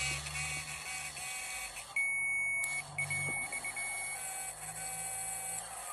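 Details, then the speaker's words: Electric parking brake caliper motor on a newer Audi/VW/Skoda/Bentley, driven directly with a power probe to wind the piston back for rear pad replacement: a thin, steady, high-pitched whine, operating normally. "and then all you do is just give it positive on this one, and then you should hear the motor whining, as you can"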